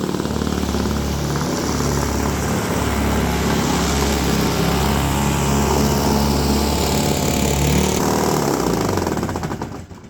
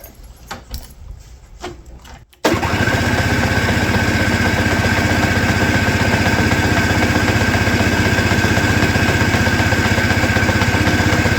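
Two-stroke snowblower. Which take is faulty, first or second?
second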